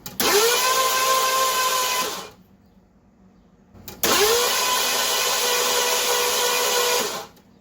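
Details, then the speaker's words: 1982 Ford LTD after carburetor rebuild, still not running: two cranking bursts of about two seconds, fast even whir with no chugging beats, showing no compression; owner suspects major engine trouble such as a head gasket. "that's what bad compression sounds like if you go to start a car"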